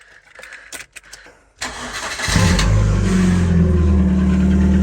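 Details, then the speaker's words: Rover Streetwise with a K-series petrol engine, laid up for three or four years, started with the exhaust back box removed: a quick crank into a loud, deep, booming idle with a raw, unmuffled drone. The rear silencer is missing. "nice listen to that K series raw"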